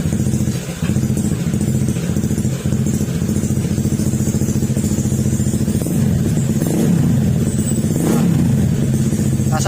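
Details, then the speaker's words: Honda ADV150 scooter idling after the engine repair, with sensors refitted and fresh oil added: a steady low exhaust putter with no tapping. The metallic "tok" is gone and the remaining noise comes from the muffler; normal idle. "Yan, medyo hindi maganda kasi yung tunog niya mga sir dahil sa tambucho. Pero tahimik na."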